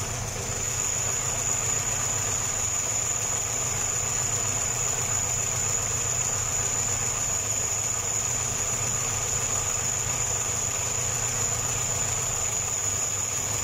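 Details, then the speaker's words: Homemade small tractor with a Škoda 1202 engine, first run after a twin-choke to single-choke carburettor conversion, makeshift air filter: steady idle under a constant high hiss whose source the owner can't locate; hissing at idle, cause unconfirmed. "syčí to jo slyšeli jste to ono to tam někde Syčí"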